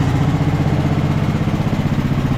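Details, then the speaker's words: 2014 Ariens 42-inch riding mower, single-cylinder engine running after the flywheel timing was corrected; it had been way off, causing backfiring and fuel loading. Now a quick, even, low thump with no misses or backfires; runs smoothly, though it still needs carb work. "so smooth awesome awesome awesome obviously it's going to need you know some carb work and stuff like that"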